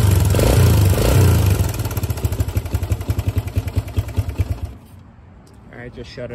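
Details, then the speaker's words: 2005 Suzuki DR-Z125 air-cooled four-stroke dirt bike at idle after a first-kick start: loud, rapid clatter about four per second that stops at shutdown; bike runs, shifts fine and doesn't smoke; owner suspects a slack timing chain needing tensioner adjustment. "but I said hopefully you guys heard that clattering noise I was telling you about um the bike runs and it rides perfect goes through all the gears it doesn't smoke"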